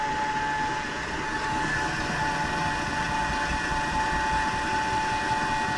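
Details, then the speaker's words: LG front-load washer with jury-rigged drain pump, draining around the 12-minute mark: steady, even pump hum with a constant mid-pitched tone over rushing water as the drum empties; normal drain operation. "so you can kind of hear the noise that it gives when it's drained fully you can just tell there's like a there's a special noise to it"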